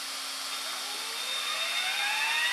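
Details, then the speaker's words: RC helicopter on AR7200BX flybarless system with HobbyWing ESC, bench test after throttle calibration: clean whine climbs smoothly and immediately with throttle, no hesitation; before calibration the motor only engaged near full stick. "so you can tell that everything works because the motor now grabs instantly as soon as I start to throttle up"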